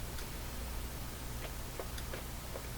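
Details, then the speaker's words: Canadian Spartan Model 5542 radio-record player, speakers unbaffled on the bench: faint steady low hum under quiet background with light ticks; hum changes with the wiring and vanishes when volume is turned down, suspected from the wires. "Well, they both work. There is a slight hum. You can hear. So that is probably due to the wires"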